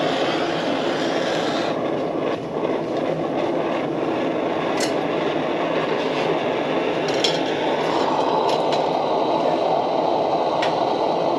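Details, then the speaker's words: Military 252A pressure lantern lit after pumping to full pressure and a short preheat: steady, even hissing roar with no sputter or surging, burning nice and strong. Normal burn at full pressure. "She's up and running, nice and strong. You can even put more pressure in it, but that's full pressure."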